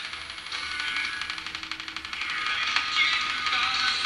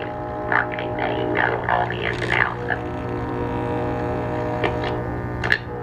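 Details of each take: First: Circa 1946–47 Arvin 4-tube metal-cased midget tube radio after repair, receiving AM station WSM on about six feet of antenna wire instead of the original 25 feet; clear station audio and music over faint static and hiss: normal AM reception. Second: 1946 Arvin 4-tube metal midget radio with a test speaker, tubes warmed up: a loud steady 60-cycle hum under the received station. The electrolytic filter capacitor has failed; the oscillator coil, antenna coil and IF transformers are fine.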